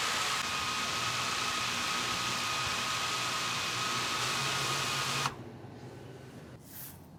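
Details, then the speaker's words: DJI Mavic Air 2 with stock props idling on a table, sticks untouched: a steady, smooth high whir for five seconds, then it cuts off. The drone holds solid in place with no shaking. "okay one more time with the mavic air 2. stock props and again holding solid in place not shaking at all once again not touching anything on the sticks just letting it idle"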